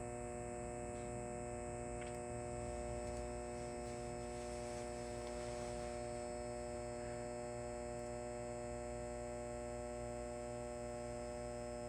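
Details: Halco/ProLume 70W high pressure sodium bulb, old with blackened arc tube, cycling at end of life: steady low ballast hum with a buzzy edge, loud at first then growing quieter as the arc is about to extinguish.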